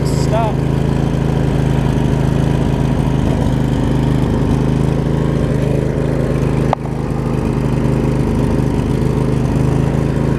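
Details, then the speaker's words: Craftsman riding mower with Briggs V-twin, started after choke was forgotten, during transmission shift hub and brake repair: steady even idle, low smooth drone, no knocks or misses; engine runs normally. "you can hear the motor spooned out after it got running we know that works"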